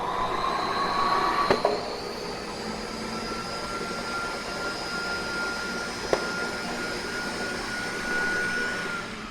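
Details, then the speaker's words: Ampak TP1824 skin packaging machine, vacuum cycle run with turbine speed turned down: steady turbine whine rises slightly and holds, with no popping from film breaking, which earlier signalled vacuum set too high. "we're going to run another cycle now and I've actually taken the turn the turbine speed down to prevent that film from popping"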